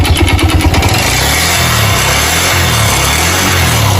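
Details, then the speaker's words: Suzuki motorcycle engine in for rebuild: harsh, loose rattling clatter rising and falling with throttle; worn, scored piston slapping the cylinder, cam chain also to be checked and cylinder head found damaged. "Pode parar. Tem uma cascavel aqui dentro. Pode ser o que? De cilindro."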